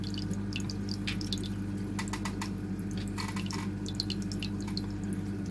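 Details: Aquarium sump leaking through a gap in its seam, before the Flex Tape repair: irregular drips and a thin trickle of water over a low steady hum.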